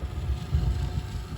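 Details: 1976 Bachmann Norfolk & Western U36B locomotive with pancake motor, after teardown, cleaning and relube, tested at crawl speed (quits at 4 volts): low, even hum with no stutter or catching. Runs smoothly.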